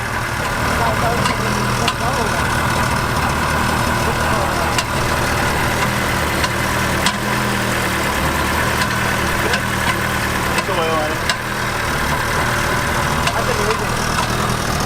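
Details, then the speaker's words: Ferrari abandoned about six to seven years and not started since, first run on likely old, foul-smelling gas: uneven idle with scattered sharp pops and ticks, "sounds like popcorn"; rough idle with misfiring pops, cause unconfirmed. "it hasn't run it so long and it probably has old gas in it right does that go gas it smells awful that's normal sounds like popcorn"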